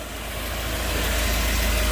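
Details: Volvo 740 saved from scrap, after a full new exhaust, new belts, oil filters and fuel pump: smooth even low rumble with no knocks or ticks, only a steady fan hiss; healthy idle.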